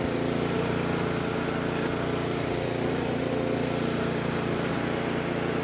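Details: 24-inch snowblower that sat 2 years, after a quick carburetor cleaning, primed and on choke: the small engine runs with a fairly steady beat and no stumbling. It is running again.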